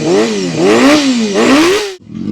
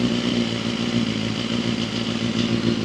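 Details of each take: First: Honda CBR250RR MC22 restored with carbs reinstalled and aftermarket radiator, first run after restoration; crisp revs climb and fall cleanly on each blip and settle smoothly. Normal running, engine pulls freely and sounds healthy. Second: Honda CBR250RR MC22 four-cylinder being restored, first runs after refitting the carburettors and an aftermarket radiator: ragged, uneven revving that smooths as it picks up; rough running, owner blames old fuel and a slightly stuck ring.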